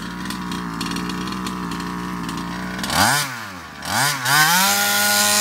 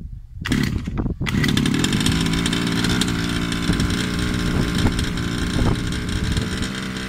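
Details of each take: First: Baja RC car two-stroke after a carburetor swap (Longhorn carb): crisp buzzing idle, then clean rev-ups with no bogging. Performance is restored; the carb was the cause, not the piston ring. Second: Baja 5B RC car two-stroke, customer's engine: loud buzz revving up and holding a high, slightly wavering pitch, no smoke; running ragged, fuel or piston ring suspected at first, traced to a faulty carburettor.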